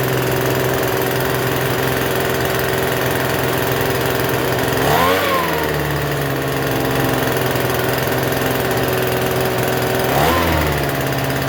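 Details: Free Troy-Bilt TB272V two-stroke leaf blower, restarted after sitting and being worked on: fast buzzy idle with a couple of brief blips, never dropping to a proper low idle, still idling a little high even with the adjustment turned out as far as it goes.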